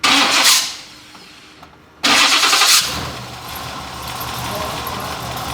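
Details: Square body dually V8 with a newly fabricated full exhaust replacing a badly leaking one: cranks, barks to life with a sharp rev, then settles into a smooth, deep, even idle with no ticking or leak puffing; far quieter.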